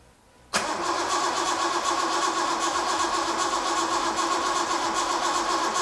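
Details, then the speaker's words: Home-built Datsun 240Z on carburettors, first start attempt with fuel pump not working (relying on float bowl fuel): starter spins engine steadily for several seconds but it never fires; no spark because ignition coil was left disconnected. "oh wait a minute didn't connect up the the coil again coils now connected again let's see that was no spark"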